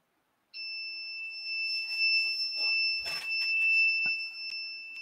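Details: 3D printer board that may have been damaged in the box: steady nonstop high-pitched beep with handling clatter, an alarm state; owner suspects wrong pins or a bad board, considers flashing Marlin firmware; cause not confirmed.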